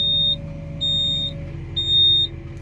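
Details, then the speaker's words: Volvo EW140C wheeled excavator idling after reattaching the bucket: high steady beep about once a second, the quick coupler warning buzzer, continuing until silenced with the adjacent button. "jak słyszycie Piszczyk dalej działa teraz już nam się zapła Piszczyk likwidujemy tym klawiszem obok czyli naciskamy jego dolną część a górę naciskamy żeby zniknęła nam ta ikonka"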